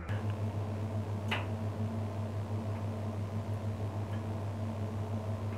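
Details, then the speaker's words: Walk-in freezer at -19°C in manual defrost: compressor and refrigeration cycle stopped, heater melting ice on the evaporator coil. Low steady hum with scattered sharp tik tik ticks from ice heating and melting. Normal ice ticking during defrost. "This tik tik sound comes from ice because it getting heated and melting by Heater change ice state into water"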